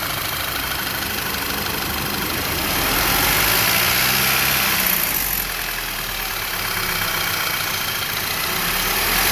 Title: Car ticking/clicking noise when rpm lowers